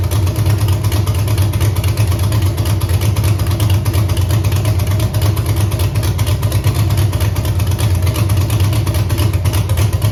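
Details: Camaro with Holley EFI 5.3 LS V8, closed loop off, wideband suspected: deep idle with an uneven loping beat about three per second that never settles; one cylinder not pulling, eight suspect, unplugging its coil changes nothing; unconfirmed.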